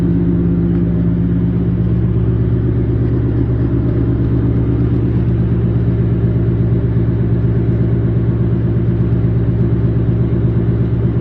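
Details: Newly installed Ford Coyote V8 with 214 miles, driven gently, about 22 mpg: smooth, deep, even rumble with a steady beat and no knocks or ticks. Normal running.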